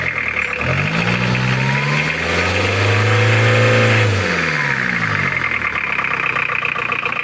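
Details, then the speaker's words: Mitsubishi Challenger 4M40 diesel, recently overhauled, weak power: knocks roughly at idle, then smooths out as revs climb and fall back; rough only at idle, from incorrect injection pump timing. "Nah ini yang aneh ya lur, untuk idolnya itu suara kasar, cuma kalau digas itu suaranya halus."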